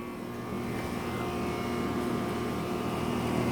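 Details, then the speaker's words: Heil central air conditioner with scroll compressor, recorded by the disconnect box shortly after startup: soft steady hum and faint fan whoosh settling smoothly, blowing hot air; a nice quiet, normally running unit. "It's getting some hot air. Nice quiet unit."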